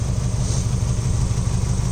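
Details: Mazda Miata idling: deep, uneven idle with lumpy low thrum and faint clatter underneath; rough running, suspected wiring, cause unconfirmed, teardown considered.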